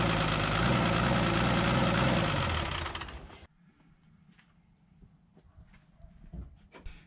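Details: Isuzu 6BB1 diesel in a 1975 Chevy stepside pickup, sitting since 1992, injector holes just cleaned: slow, heavy, even cranking about four strokes a second, dragging hard against compression before cutting out; labored cranking, cause unconfirmed.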